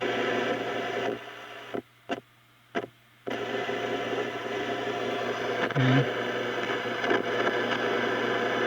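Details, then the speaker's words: 1935 Silvertone Model 1968 13-tube radio after recapping and new power resistors, run at only 80 volts and not yet tuned, on shortwave in a basement block building with no antenna: hissy static with dropouts and faint blips. Normal. "i don't think i'll get much on shaw waving in a block building here in the basement i don't have an antenna but you can hear it's trying to pull in some stuff"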